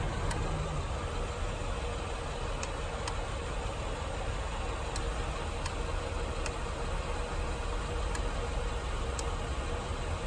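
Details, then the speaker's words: Car with sticking brake caliper after driving, engine idling: faint irregular metallic ticks about one a second as the overheated brake rotor cools, pad having dragged on the rotor. "That's the rotor cooling off."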